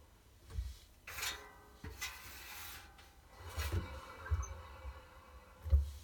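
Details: Two-month-old Miele WT1 WTF130 WPM washer-dryer, drum turned slowly by hand: scattered rubbing squeaks with a few dull knocks, also squeaking and sometimes knocking during washes, new behaviour; owner asks whether it's bearing damage or normal.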